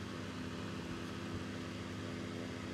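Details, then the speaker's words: Electric fan after lubricating the axle, previously running rough: steady even hum with smooth low drone and no scraping or rattle; fan runs normally. "Maintenant, le son du ventilateur n'est plus rugueux ."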